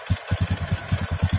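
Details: Motorcycle engine just reassembled after a piston-knock repair: small single catches, one stumble, then quick, even low thumps at idle; running smoothly now.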